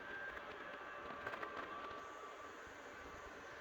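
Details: Creality LD-002R resin 3D printer printing with Anycubic clear 405 nm resin: quiet, even fan whir with faint soft ticks, no rattle or pitch change; normal operation.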